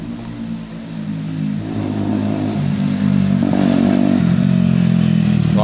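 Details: A Zontes motorcycle, test-ridden after repair of its bad idle and cutting out when stopping. It pulls smoothly, rises with throttle, then settles steady as the clutch comes in and the bike stops without stalling; runs fine.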